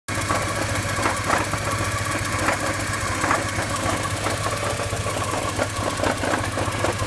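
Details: 1987 Porsche 944 at idle: a rough, uneven grinding rasp scrapes in and out over the steady petrol engine note. It seems to come from the clutch region and seems better with the clutch pedal pushed in. Clutch cause suspected, not confirmed.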